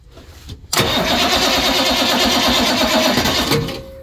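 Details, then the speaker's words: International crew cab 7.3 IDI diesel no-start after glow plugs bypassed for 10 seconds and fuel prime lost: starter drags slowly and unevenly without catching; batteries too weak, possibly part of the no-start problem. "that's too slow them batteries are not strong enough for this that could be part of his issue too with the batteries"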